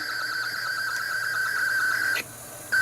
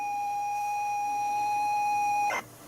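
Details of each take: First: ZX Spectrum 128k +2 built-in tape deck loading Equinox: the lead-in tone is noticeably high and shrill, then data screech bursts. The deck seems to run far too fast, at wrong pitch, cause not identified. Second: ZX Spectrum 128k +2 tape deck loading Equinox: a clean, steady high leader tone holds about two seconds, then cuts off. This is a normal loading tone, though the owner still thinks the deck plays fast.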